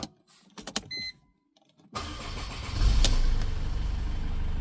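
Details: Mercedes E220 W210 diesel, previously no crank no start, after EZS ignition switch repair: clicks, short silence, then catches and settles to even diesel idle with no misses; normal engine start.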